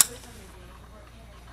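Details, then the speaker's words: Mercedes W164 ML facelift headlight on the bench, high-beam pin powered; one crisp click then quiet. Shutter solenoid pulls in normally while low beam also gets power. "You see that shutter turns on and the low beam receives power."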